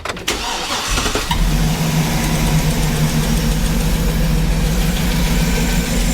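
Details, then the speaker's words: Cheap auction GMC Yukon restarted after battery reconnect, with check engine light back on: cranks, catches and settles into an uneven, stumbling, irregularly loping idle; still not happy, still missing on a cylinder. "It's still not happy. Yeah, it's still missing."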